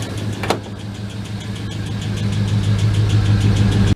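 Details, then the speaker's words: GMT400 truck after long cranking on stale fuel: steady idle with a quick, light lifter tick, about three a second. Oil is clean, oil pressure okay, and it misses; later traced to a worn #3 intake cam lobe and lifter. "the lifter dude this is a lifter noise the oil is super clean"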